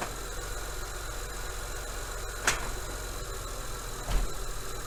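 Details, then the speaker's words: 2003 Honda Accord V6 (J-series) with code P0747: two sharp clunks about 1.5 s apart over a steady idle as the transmission bangs hard into reverse from park and drive. Linear solenoid suspected, not confirmed. "so you can see by the footage you can see the the harsh Shak taking from from uh Park to reverse and then I went down to drive and put it put it back into reverse you just see it's just shuttering and like just a just a hard jolt man"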